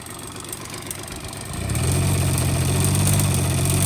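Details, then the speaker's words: 1985 Honda Spree two-stroke scooter, carbs already cleaned and swapped, fuel lines replaced. Picks up, then flattens into a dull drone at full throttle and won't rev higher: bogging with no power, caused by a plugged-up muffler. "okay as no power full-throttle that will barely starts going full throttle"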